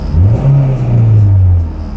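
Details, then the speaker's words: Acura RSX with a naturally aspirated engine, idle started fine in the morning but now stuck high: steady, even low drone held well above normal resting speed that won't settle down; idle set too high. "so my idols pretty high when I started it this morning it was fine but uh now it's just it's a little too high"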